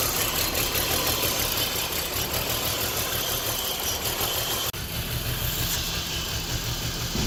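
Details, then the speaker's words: 2006 BMW 325Ci with P0300 random misfire, cylinders 2 and 4 misfiring: lumpy, uneven idle with irregular stumbles; the cause is excessive crankcase pressure from a damaged oil separator, not the coils, though coil 2 is weak. "however the problem we are having here is excessive cranking pressure the oil separator is damaged on this one and is not regul"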